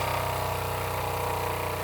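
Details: Old Jensen #35 "forgotten #35" live steam engine, double-acting, first run in decades, electric boiler on a variac turned down from about 100 volts: quick, evenly spaced chuffing at a constant pace, no hesitation or clatter; running smooth and steady.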